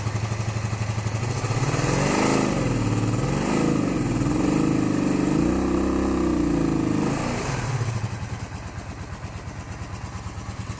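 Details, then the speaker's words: 1982-83 Honda V45 Sabre V4 cafe racer project, start after a no-start, no choke, blipped: revs rise and fall with a lumpy uneven idle; owner suspects it isn't running on all 4 cylinders, plans to recheck compression. "Okay, so it starts. Doesn't sound like it's running on all 4 cylinders, but it starts."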